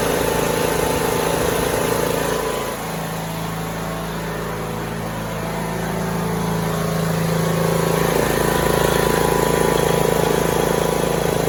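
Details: Troy-Bilt Bronco 42-inch riding mower, 19 hp Briggs & Stratton engine, hydrostatic transmission, run about two minutes after an oil change: even, steady drone that holds pitch then picks up slightly, no knocks or misses; normal idle.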